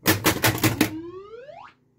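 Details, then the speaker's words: 1980 Bally Mystic pinball after fixing low 5 V on the solenoid driver board (voltage regulator jumpers): five sharp mechanical clacks, then a clean electronic tone sweeping upward and fading; the sound board output works normally. "Did you hear that? That was sound, mother effers."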